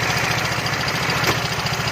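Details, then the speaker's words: Yamaha Fino 125 scooter engine started and idling: rough running with a fast, dry tapping over the low thump and delayed throttle response; valve train tapping from excessive valve clearance, blamed on oil problems. "Nah, suaranya kasar banget ya,"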